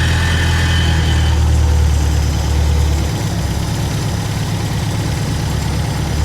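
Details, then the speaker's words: 1975 MGB that sat about 16 years, gravity feed floods the engine so fuel is given a little sip at a time: low idle sags and recovers every few seconds; unsteady idle but staying running on its own. "little sip at a time but you can see she runs and she's staying running on her own right now"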